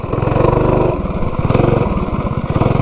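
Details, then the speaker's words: Stage 2 modified 196 B200 minibike with a $47 generic 30-series driver during 0–30 runs (4.20–4.22 s, slower than the Juggernaut): fast uneven shudder about ten beats a second on takeoff, smoothing out once moving; clutch chatter on takeoff. "And has And it has a little bit of a chatter to it. Kind of weird. like right there. Then it smooths out after you get going."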